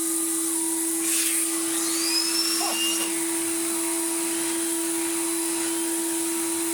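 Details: Numatic BX.BX 190 commercial vacuum after refurbishment, original untouched motor, running with old dirty turbo head fitted: steady high whine of constant pitch with faint whistle from the turbo head; running smoothly and healthy.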